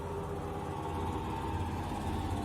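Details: Fisher & Paykel GWL11 washer, about 15 years old, before bearing replacement, during spin: loud steady low rumble with droning hum, no knocking; rusted, worn top drum bearing causing the noise.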